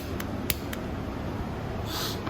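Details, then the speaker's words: Chinese Coolster small single-speed dirt bike, start button pressed: a few sharp dry clicks with no starter whir. The starter solenoid/relay clicks but the starter doesn't crank, and it turns over when the solenoid is bypassed. "if you hear that clicking noise and your starter is not turning over there's a good chance that your relay is bad"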